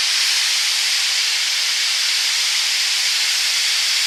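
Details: BlackBerry phone speaker: constant loud hiss with no rhythm or tone; owner suspects it was charged too long.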